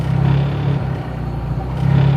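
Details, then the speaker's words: Idle hunting on a 2003 Hyundai Tiburon 2.0 Beta II with GT3076R turbo at 26 psi, meth injection, 9:1 CR, newly swapped MS3X Megasquirt; low idle gently swells and sags. Heat soak into the intake manifold after shutdown skews manifold air readings; Megasquirt over-corrects. "now the idol likes to hunt slightly as you can hear it and that's due to when you shut the engine off for a duration of time the manifold heats up a lot and you get heat soak into the metal"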